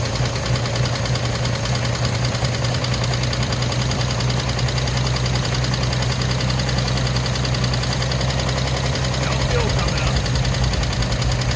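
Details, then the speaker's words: 1950 Chevy Bel Air hardtop barn find, sitting for years, ignition switch position corrected for coil power: steady, even cranking drone with no firing; fuel pump suspected dry and not pumping, needing priming. "Yeah, I don't think fuel pump's pumping. Probably needs to be primed. Probably dry. Won't pump."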